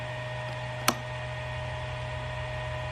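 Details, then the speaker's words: VFD (220V single-phase to 380V three-phase) driving the mill Piglit's 2-speed Dahlander motor; relay held on while the drive runs. Steady even electrical hum with one sharp click near the start, no fault; normal running. "if we now leave the relay turned on and run run the vfd [Music] the relay stays activated"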